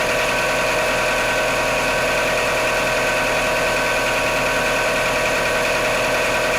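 Cold idle with a fast, uneven ticking knock at about three per second riding over the engine note; knock present, cause not pinned down.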